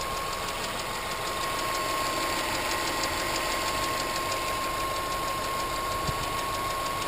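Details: 2006 Subaru Impreza WRX, EJ255, driver side: light quick ticking about three a second over steady idle, same cold or warm; cause was a bent intake valve not closing, fixed by replacing both valves, all belts and bearing.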